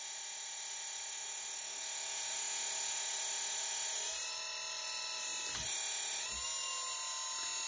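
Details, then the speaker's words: RC hydraulic Hidromek excavator after bleeding air by fully cycling the cylinder: steady high-pitched pump whine, pitch shifting slightly with load, with no gurgling or rattle; normal cavitation, no more air bubbles. "you go plenty of medium normal cavitation no more air bubbles"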